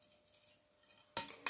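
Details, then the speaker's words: End-of-life Claude GTE 36W T8 fluorescent tube whose end burned through and let in air after running on a 150W ballast with a starter: shaken, it gives bright glassy clinks and tinkles from loose debris inside. "c'est là où le tube comme je vous ai dit et toi en fin de vie et non on entend du bruit maintenant"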